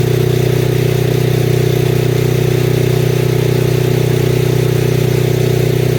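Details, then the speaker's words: Lincoln Weldanpower AC/DC 225 welder, idle screws adjusted to cure occasional backfire when dropping to low idle: steady, even low idle with a regular firing beat, no pops or misses; idling smoothly. "Idle's good now. It had a little, like, sometimes it would backfire when going to low idle, but I've adjusted the idle screws to seemingly perfect."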